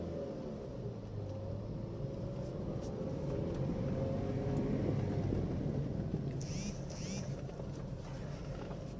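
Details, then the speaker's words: Used car test-driven on the rough road inside a pool yard: steady low road rumble with no knocks or clunks; the suspension is quiet, the clutch is soft, the AC is cold and the pull is still good. "Sejauh ini sih kopling empuk, AC dingin, kaki-kaki pun senyap, tarikan juga masih oke."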